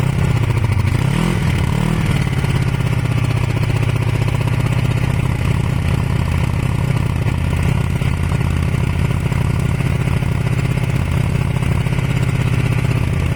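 Twin runs with an uneven, stumbling beat and lumpy low thump, a dropped cylinder firing rather than a smooth idle. Cause suspected, not confirmed.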